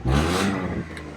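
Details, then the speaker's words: Car exhaust just after muffler repair without welding, adapter fixed with two clamps: short rev falling back to smooth even idle, no rattle or blowing leak; earlier annoying noise gone; normal exhaust note. "So now I'm going to turn it on, but everything sounds good. All right, as you can see, it sounds great."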